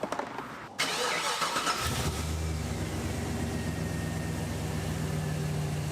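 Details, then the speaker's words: 1985 Chevrolet Crew Cab Dually sat 2+ years, run out of fuel, now with a temporarily wired inline fuel pump: cranks a second or two, catches cleanly, settles to even steady idle without misses or knocks; normal start. "It's alive. >> It's alive. >> She lives after 2 years of just being out of fuel."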